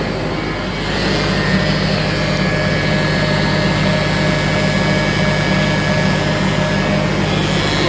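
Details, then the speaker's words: Kubota tractor diesel idling with a constant high whine from the rear hydrostatic transmission (HST) after a service with restrictive aftermarket filters; pushing the clutch in stops it, so not the throwout bearing. "So what you want to do is get the right filters, because this one, after they did a service, is now whining from the HST."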